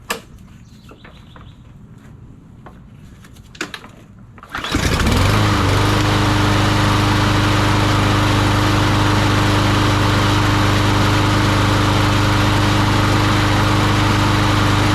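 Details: Troy Bilt TB230 lawnmower after tune-up, on ethanol-free gas, fired up before the plastic cover goes back on: recoil pulls rattle, then the engine catches and settles into a steady, even drone with no misses; running properly.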